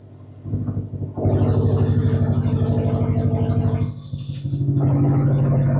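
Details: Subaru with straight-pipe exhaust (muffler deleted), started in garage, knock reported at higher rpm: loud raspy idle with a couple of quick revs, firing even with no knocking at low speed; no audible knock at low rpm.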